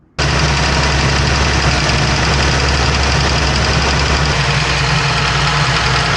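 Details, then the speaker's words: Dodge Ram 3.6 V6: steady idle with a light, quick tapping over the rumble, likely a worn, damaged roller follower ticking in the valvetrain; roller follower tick. "then chances are you have a bad roller follower. And uh very common in these 3.6 engines, uh their little rollers uh get boogered up and then it starts ticking or tapping."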